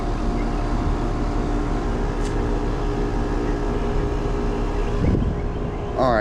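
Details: Residential AC condenser on a no-cooling call, where the compressor had not been running, just started after rewiring: even, steady compressor and fan drone with no rattle, buzz or hesitation; running normally.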